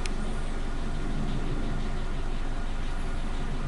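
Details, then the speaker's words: Suzuki Katana engine idling with new spark plug wires: low, even exhaust pulse with no skips, pops or RPM dips; normal idle. "teman-teman, RPM-nya sangat stabil ya, tidak ada turun-turunnya sedikit, tidak ada jeda-jeda turunnya seperti yang sebelumnya."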